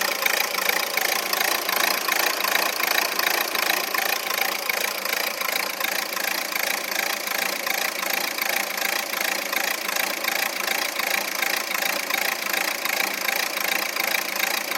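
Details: Renault Scenic 3 1.5 dCi K9K 836 diesel rough idle: clattery uneven pulse about three beats a second; no fault codes, drives normally, rough idle stops when AC is turned on.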